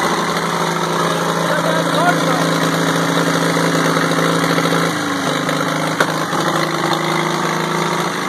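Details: WWII-era Caterpillar RD4 bulldozer diesel, first start in 20 years after retrieval from a canyon: settles into a steady idle with a slightly uneven low drone and a brief dip near the end. Runs, but clutches are seized so it doesn't drive.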